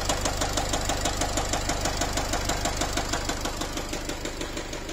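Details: Nissan X-Trail 2.0 dCi diesel at idle: sharp, even "ta-ta-ta" ticking about three times a second, as if a piston is knocking, with a smell of unburnt diesel; the knock disappears when revved, cause unconfirmed.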